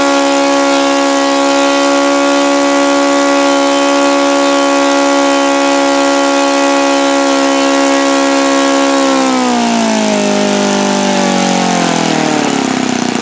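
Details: OS FS-alpha 110 model four-stroke glow engine, worn, just rebuilt with a new connecting rod and crank bearings: a steady high buzzing tone that drops in pitch as revs fall. It runs cleanly but can't approach the review's rated rpm, seeming to have more compression when hot.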